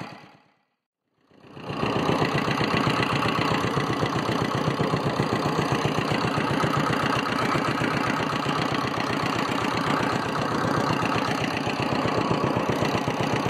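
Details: Abandoned homemade mini dumper, single-cylinder air-cooled Petter diesel, sat about 10 years; after freeing stuck injection pump and injector needle: fires after brief silence and settles into even thump about four beats a second, running well.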